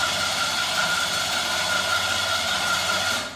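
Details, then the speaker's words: 1996 Buick 3.8 L 3800 V6 after oil pan replacement, cranked with the gas pedal held to the floor (clear-flood) so it won't start and builds oil pressure; steady whirring crank with a constant whine that never catches. "then don't let go and you can crank it over as long as you want it will not start"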